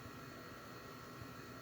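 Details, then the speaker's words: InFocus IN1 G-300WW projector starting up after repairing a no-power fault caused by a plastic part: soft, even fan hiss with a faint steady hum and no rattles or clicks; the projector starts and cools normally. "luego conectamos el poder el cable de poder y le damos power click como vemos ya arrancó"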